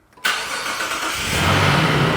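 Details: 2012 Jeep Liberty 3.7 L after starter replacement; it previously only clicked and came in on a flatbed. The engine now catches immediately and settles into a steady, even run, and the starter engages cleanly with no clicking.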